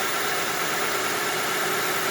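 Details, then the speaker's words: 2004 Honda Odyssey EX after replacing the power steering pump inlet O-ring: a steady, even idle hum with no whine or groan; the pump now sounds quiet and normal. "okay here i am back in the car let me see oh i don't hear a noise hey looks like they'll solve the noise problems"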